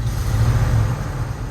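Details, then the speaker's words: 1978 Jeep Cherokee SJ at idle: low, lumpy rumble with uneven beat and stumbles; misfire, cylinder unknown, also present in reverse; owner suspects bad spark plug wires. "so we do have a misfire i don't know what cylinder yet i don't know if you can hear that or not"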